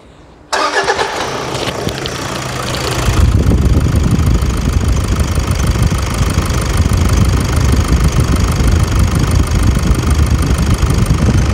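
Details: Toyota Hilux diesel: a few seconds of starter cranking, then catches into steady even diesel clatter at idle with no knocks; normal, healthy start and idle.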